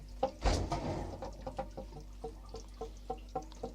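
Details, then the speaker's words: Formosa 41 sailboat fresh water tank vent hose loop gives quick uneven pops and bubbling about four a second while the tank fills, air pushing through water trapped in the loop, which is normal. "so the reason you want that Loop there is to trap any water in the low part of the loop and you can see the uh I think you can see the water in the in the loop there at the bottom uh and that's what's making the noise you hear that popping"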